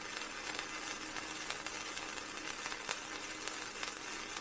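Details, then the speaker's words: Vevor MIG 130 flux core welder set at 65 for 1/8-inch steel, flat beads: even, steady crackling sizzle with no pops or sputtering; a smooth, steady arc at a heat setting that was really good. "you hear how smooth and fitting it is that's the sound you're looking for you want to smooth steady from"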